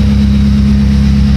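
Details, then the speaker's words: 1997 Honda Civic ESi after a top overhaul with new head gasket, timing belt and water pump: steady, even low hum at idle with no knocks, ticks or rattles. The noise heard before the repair is gone, a normal idle. "Smooth na smooth ang takbo niya ngayon. Wala na yung ingay na narinig natin nung una, no mga klinika."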